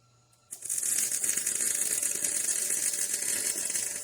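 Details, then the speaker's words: MIG welding trailer main frame repair after turning wire feed up to 54: nice, steady, even bacon-frying sizzle as the arc holds; properly set weld. "Oh, uh, aigh, this is on the weld *nice, steady, even frying sounds* I don't think that looks too bad"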